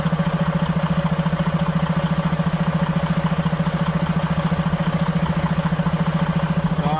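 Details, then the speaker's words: Freightliner diesel truck just back from the dealer at idle: a hollow pulsing whoosh, about 3.5 beats a second, heard only while the air compressor fills the tanks and gone once they are full; an air hose was left disconnected. "You can hear it, but I noticed that every time when the air compressor got to fill up, it has that sound. I've never heard that sound before, and I was wondering why."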